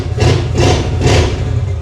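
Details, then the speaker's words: 1950 Ford with custom EFI (still needing tuning), after new spark plugs and fabricated throttle pedal/cable: three quick clean revs over a steady low idle, instant throttle response; alternator belt noted as needing tightening. "I like instant throttle now. Ooh, need to tighten that alternator belt a little bit, but Okay, so immediate thoughts are this is way better throttle response."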